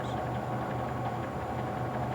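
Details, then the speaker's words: ABC Hansen horizontal stone mill, stones run together after tightening the stationary stone: constant, even grinding rasp with low rumble underneath as high spots rub off; stones bedding in normally. "run the grinding stones together by turning the clutch handle and turn the hand wheel until you hear a constant grinding sound any high spots will now be rubbed off the grinding stones"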